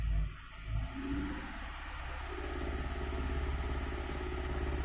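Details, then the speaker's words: GM 2.4 (Acadia or Terrain), codes P0300, P0352, P050D cold start rough idle: hard misfire on cylinder 2 at idle, rough uneven thump, stops when revved; suspects poor spark plug gap, possibly weak injector or ignition coil. "so if I rev it up it stops I let off at idle it misses it seemed like it's a spark plug like a poor Gap"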